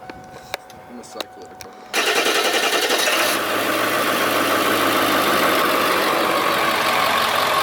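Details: Ford E350 7.3 PowerStroke turbo diesel, first start after fuel-system repairs (injectors, sensors, turbo up-pipes, fuel filters), hot day, air expected in fuel lines: fires at about two seconds, then steady even idle with no knocks or misses.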